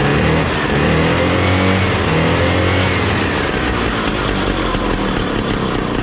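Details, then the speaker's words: 1968 Ski-Doo Super Alpine 370 with Rotax 370 opposed two-stroke, after clearing a muffler packed by animals: crisp buzz revving and settling, clean rasping exhaust with no bogging; working as it should. "That sounds like it's working like it should."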